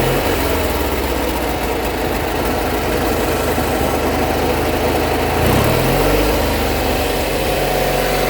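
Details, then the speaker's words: Deutz-Allis mower, cold start, previously running near high rpm with the throttle since lowered. A steady, low thrumming idle with an even beat and a brief speed change midway, no knocks or misses. The engine runs normally but needs hydraulic fluid. "so i'm gonna fire it up and i will show you that it doesn't does in fact run and it definitely does need some hydraulic fluid"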